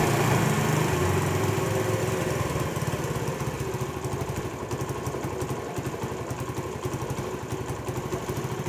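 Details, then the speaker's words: Honda CD70 motorcycle just after its carburetor was fitted: single-cylinder engine buzzes at a fast, steady idle without hunting; idle rpm is high and will be turned down during carburetor setting. "जी तो दोस्तों यह जब motor bike का carburettor fit किया जाता है तो accelerator जो है उसकी हाई होती है हम इसकी पहले आरपीएम स्लो करेंगे"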